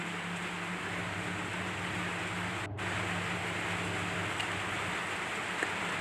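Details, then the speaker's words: Sharp Dolfin jumbo top-loader washing machine that previously sounded rough and noisy. After the bolts were tightened and the pulsator closed, it washes with a smooth steady low motor hum and soft water swish, no grinding. "Coba kita tes ee setelah kita perbaiki dan alhamdulillah untuk suaranya halus kembali, Teman-teman, ya. ee enggak berisik lagi."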